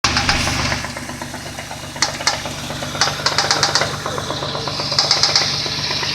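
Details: Nissan VQ20DE engine: sharp metallic knocks about four a second over idle, following engine speed; connecting rod knock, worn rod bearing, possibly more than one.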